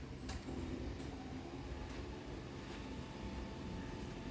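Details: Chamberlain HD800D Whisper Drive Plus DC garage door opener running off a bench power supply: low steady motor hum, smooth even belt travel, relay clicks, no knocks or grinding; quiet, healthy opener, slightly slower on this supply.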